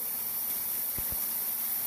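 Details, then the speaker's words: Ultrasonic cleaner during troubleshooting, Gen 2 plugged into the heater circuit and Gen 1 known good: steady high hiss with faint fizzing and soft low thumps; cavitating evenly. "So we know 100% everything is good, and now we're going to have to start troubleshooting Gen 2 output."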